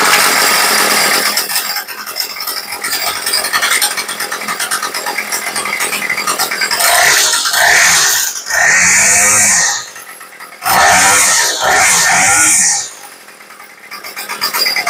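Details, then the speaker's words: Craftsman 2-stroke weed eater after carb rebuild, tuning the L screw by ear: uneven buzz surging in bursts then sagging; idle low and rough. "now it's idling a little bit low and it sounds a little bit rough so we going to go ahead and lean it down just a touch and it really is by ear"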